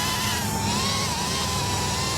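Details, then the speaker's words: Mobula 8 frame quad, 1003 14800kv motors, 2-blade 2015 props, Betaflight master multiplier raised from 1.0 to 2.0: hovering motors give a wavering, buzzy warbling whine and run hot; oscillation from excessive PID gain. "can hear that, right? It's almost like the motor itself is vibrating. It is a lot more responsive, but I see what they mean now."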